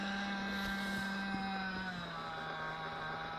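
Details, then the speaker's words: Nitro RC car engine, high-speed needle set well: high buzzing whine hangs at high revs and sags only slightly after throttle closes, slow return to idle; owner blames low-speed/idle needle closed too far. "so I'm adjusting it I'm adjust it I'm adjust it so but when I'm pulling it out it's going down too low and it's going down too low because my my um idling pin is not set perfect it's closed too much"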